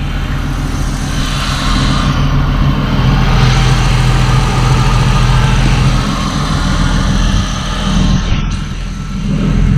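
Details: First start after installing turbo supporting mods and a new ECU tune; fuel pump primed for two seconds, no dash warnings: steady, even idle with a low rumble and no knocks or misses; normal idle.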